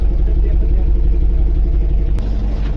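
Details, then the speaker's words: Tata 1109 CNG truck idling: low, uneven, lumpy stumbling beat with the whole engine vibrating; diagnostic laptop reports cylinder 4 misfire, suspected bad plug, coil or injector. "इसमें गाड़ी पूरी missing कर रही है और vibrate भी कर रही है पूरी। आप देख सकते हैं। इंजन पूरा वाइब्रेट कर रहा है।"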